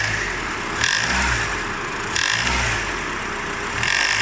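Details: Honda Odyssey RB2 K24, fully warm, on the handbrake with a gear engaged: three throttle blips, each bringing a sharp hissy rattle-knock as revs climb, fading back at idle; the accessory belt tensioner knocks, stopping when pressed.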